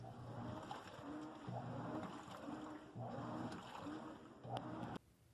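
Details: Washing machine: slow rocking swish of water and clothes, roughly forty strokes a minute, soft and unhurried; normal wash agitation.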